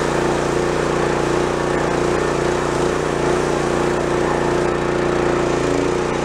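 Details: Pressure washer small single-cylinder engine after tune-up: runs steady at a fast, even beat with no misses, surging or knocking; sounds healthy.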